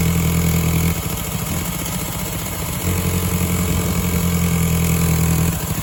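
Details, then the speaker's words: 2002 VW Golf GTI 1.8T AUM, 150 hp, 169,000 miles, cold start; deep uneven throb with stumbling beat, misfire on starting that settles once warm; owner suspects leaking secondary air pump system, coil packs not yet changed. "Now I'm having a misfire on starting and I've got a feeling it's related to this, which is the secondary air pump system."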